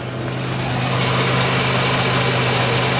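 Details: 2003 Pontiac Grand Am GT, grinding from the front, heard through a probe held to the hub with the car stationary: steady rough grinding with a low droning hum as the hub turns; worn front wheel bearing on the suspected side.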